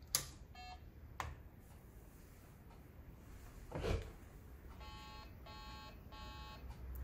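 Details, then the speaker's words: Amstrad CPC running the Amstrad diagnostics ROM from a Dandanator, with faulty RAM deliberately fitted. After a switch click it gives three slow, evenly spaced buzzy beeps, which signal faulty RAM; the first of the eight RAM banks is flagged. "there you have it it gave us three audible beeps slower beeps and that tells us there's faulty ram or there's a fault"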